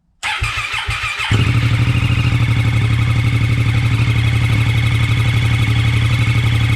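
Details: 2013+ Triumph Daytona 675 after new spark plugs and air filter, first start since fitting a homemade de-cat header: a brief fuel-pump whir and crank, then it catches cleanly into a steady, even idle. Normal start.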